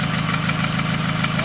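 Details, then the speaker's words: 2006–2008 Toyota Camry 2.4 with a noise not cured by a lifter replacement; earlier suspected the exhaust manifold. Fast, even ticking rides over the idle and keeps pace with engine speed, traced to a leaking intake manifold. "now finally figure out this intake manifold noise let me let me start in here"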